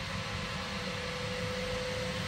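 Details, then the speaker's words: Zanussi SD 2811/W spin dryer, found on the street, running empty with its stiff plastic spin mat fitted and the lid latched. It gives an even, steady whoosh and hum with faint whistling inside, very quiet, with hardly any vibration. Normal running; the brake is a bit dry but works. "that is sweet as a nut let's hear the whistling inside God that is very quiet hardly any vibrations on it"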